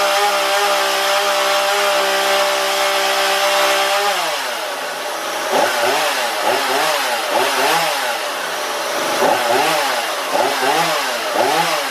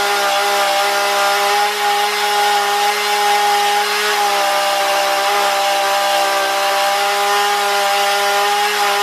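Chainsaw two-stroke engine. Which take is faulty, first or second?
first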